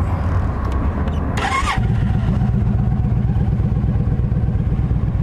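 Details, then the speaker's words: Used 2007 Yamaha V Star 1300 motorcycle, 24,989 miles, cranked with clutch pulled in: brief cranking, fires right up into an even deep thumping idle, no rattling, engine noise or smoke; healthy start. "Fires right up. Don't hear any kind of rattling or engine noise, no smoke."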